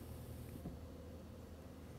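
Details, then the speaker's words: Frigidaire/Electrolux Solero (Gallery) dishwasher in diagnostic mode, test 6 fill valve, door shut: soft steady hiss of water flowing in with a low hum, no buzzing or hammering; fill valve working normally. "Shut the door, we should hear water coming in, and which I do. Water is entering the unit right now."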